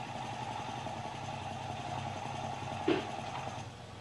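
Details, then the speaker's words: Multi-cylinder motorcycle with carburetors out of sync: idling with a rapid, uneven clattering knock as one cylinder works harder than another, unevenly loading the valve train. "when the carbs are out of sync one cylinder is working harder than another causing uneven loading of the valve train"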